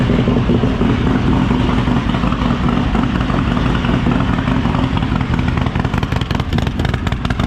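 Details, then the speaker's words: Freshly built 143ci Harley Lowrider S V-twin with A.P.E CR515 cam and D&D Lowcat 2-into-1, first fire-up on base map and running too rich: loud lumpy idle with light ticking clatter as lifters bleed up oil pressure; lifter tick. "You probably did hear the little bit of lifter noise there as it was still bleeding up oil pressure."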